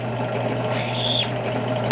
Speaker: Okay, so step 2 will be to deburr the outside of the case. We're going to simply turn this on, and just run these up to you. Hear that little squeal?